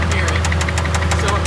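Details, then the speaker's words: Nissan 350Z drift car with a DE engine: it died pulling away from a light after drifting, and a sharp, regular knock about six times a second now hammers over the idle. Suspected rod knock from a badly damaged bottom end, not confirmed. "Straight rod knock the motor. Come hear it. Can you hear it? You rod knocked it."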